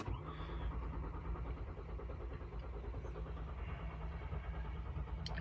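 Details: 2014 Kia Sorento 3.3 GDI, no codes, battery good: steady starter churning at about 1.5 beats per second, never catches; suspected security/valet-mode lock from remote start using the backup fob, or fuel or brake switch, unconfirmed.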